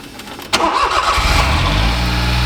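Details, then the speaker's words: Smart car with an intermittent no-start electrical fault, after the fuse block under the seat was worked on: a quick crank catches at once and settles into a steady, even idle; it starts cleanly on repeated tries. "Ikka veel läheb käima, Panen 3 korda, vaata, kui haisu viskab."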